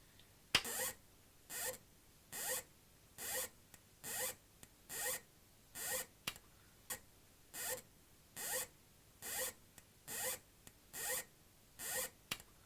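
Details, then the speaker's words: HP1652B logic analyser at switch-on, microphone near the unit: sharp high-pitched squeal pulsing with a red LED, like an overloaded line output transformer; likely the switch-mode power supply tripping on overload, with a burning smell. "I will switch it on it just makes a horrible squealing noise which sounds like I don't know it sounds like that horrible noise you get from line output transformers"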